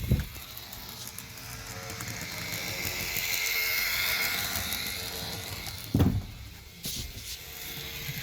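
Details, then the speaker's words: Roco BR 290 (V90) model locomotive, runs well otherwise. High buzzing whir swelling and fading with a few sharp clicks. Owner guesses the motor rather than the gears makes the noise and considers machine oil: excessive drive noise, cause unclear. "I don't know why but I'm having a guess that this is just the engine doing its work and not all the gears that is making all that noise"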